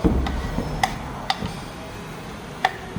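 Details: 2021 VW Saveiro, 93,000 km, removed steering column worked by hand: sharp separate clunks, some irregularly spaced; worn column bearings knocking, replacement column is silent.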